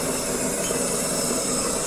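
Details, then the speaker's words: Saeco Aulika professional bean-to-cup machine making a double coffee: steady, fairly soft grinder whirring for the first dose, with a small click from the doser; quiet, normal, no knocks or rattles. "on peut l'entendre c'est une machine qui est silencieuse ouis donc là hop on a entendu qu'elle vient de moudre la première dose c'est le petit doseur qu'on entend le petit claquement"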